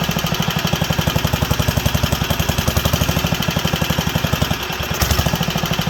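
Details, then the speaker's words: Wisconsin AENL barn-find engine, first run in 20+ years after restoring spark and cleaning fuel system and carb: chugging beat sagging and recovering, leaning out; float not sunk, owner suspects needle needs replacing. "it's sounds like it wants a little more reds and i turned it down there and or we can uh give her a few more revs let's see how she handles but it's leaning out coming back leaning out coming back"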